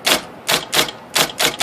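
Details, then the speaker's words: IBM Selectric typewriter, 13-inch carbon ribbon, after motor flush: six hard strikes in under two seconds with heavy thumps on certain characters, shaking bench; rotate arm hits case because side bracket sits low; adjusted. "but if I hit certain characters on here right there bumping even thumping louder"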